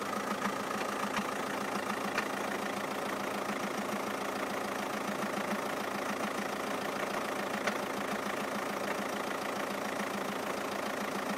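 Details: 2007 Skoda Octavia II 2.0 TDI (believed BKD) diesel, only after a cold start, a few minutes into idle: a steady knock over the clatter, 3–4 beats a second. Cause unknown; the owner wonders about the balance shaft, and the clutch and dual-mass flywheel were recently replaced.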